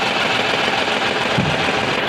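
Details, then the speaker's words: Renault Kwid idling with the cylinder 3 injector dead from an injector control circuit fault, check engine light on: an uneven, stumbling, lumpy idle, and unplugging the cylinder 3 injector changes nothing. "गाड़ी start कर आप देख सते missing तो कर ही रहा है लेकिन य अगर अपन इसको तीन नंबर वाले को कनेक्शन हटाएंगे य पर तो आप देख सकते बिल्कुल भी काम नहीं कर"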